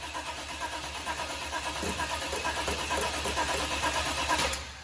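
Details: 1972 Chevy Suburban with a new crate motor and transmission, first start attempt: steady starter cranking at about two turns a second with no firing. Apparently not getting gas; crank no start.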